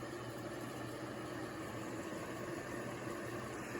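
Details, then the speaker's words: View Fan 36-inch industrial ceiling fan on a cord running at its one speed (high), before oiling, with a rough droning whir, low hum and thin tone on top: dry bearings need oil. "as you can hear the bearings need a little help"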